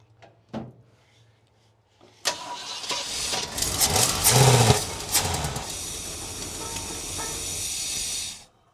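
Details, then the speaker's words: 1966 Ford Galaxie 500 V8, first start after sitting with engine previously somewhat stuck: cranks, catches and runs rough and uneven for a few seconds then dies; fuel starvation. "Well, she's starting to run. Is it not getting any fuel? Fill up the bowls real quick."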